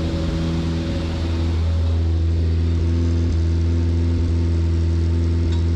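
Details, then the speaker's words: Austin America with SU carburetor, during carb tuning after priming: engine holds a steady drone with an uneven, hunting beat and occasional stumbles, running lean. "all right sounds like it might be a little lean again okay"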